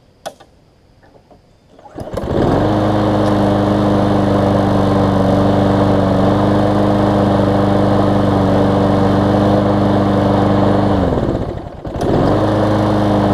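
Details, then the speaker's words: Newer Lawn Boy mower after carb clean, warm after about ten minutes' running: catches within a second, settles to steady idle, restarts cleanly repeatedly; normal warm restart. "so it seems to be restarting well"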